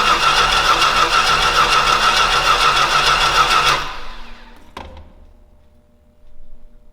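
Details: Old Stewart & Stevenson aircraft tug: the engine catches and runs roughly for three or four seconds, then abruptly cuts out and dies. The owner notes it seemed to like a little fuel and plans to pull a plug to check if it's wet.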